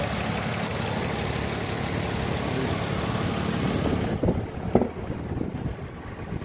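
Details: 2007 Nissan Altima SE, 3.5 V6 with 6-speed manual, good running engine in a car damaged on the left side; steady, smooth low hum at idle for about four seconds, then quieter handling noises, with no knocks.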